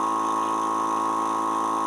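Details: Agricultural crop-sprayer pump motor, newly rewired (one red, three green wires), running normally on speed control: steady even electric hum with constant high whistle-type tone, no knocking or grinding.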